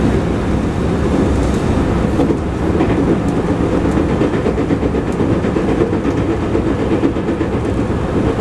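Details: Steady rumble of a JR 221 series Yamatoji Rapid train (field-added excitation control, max 120 km/h) running between Oji and Kyuhoji, with a faint repeating thump from a wheel flat.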